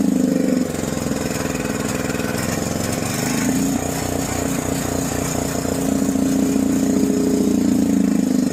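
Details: John Deere 6200-watt portable generator, dry-stored four years since Hurricane Ian, undrained carburetor varnished by old fuel; half choke after start: uneven loping run, beat surging and sagging, struggling to hold speed; rough running.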